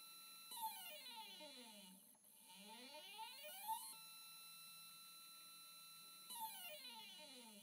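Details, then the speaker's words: NEQ-6 Pro astrophotography mount after belt modification replacing the gear chain, microphone on the side of the mount, slewing: soft motor whine rising, holding and falling, no grinding or rattling; clean, very quiet slew. "love that sound that's so quiet"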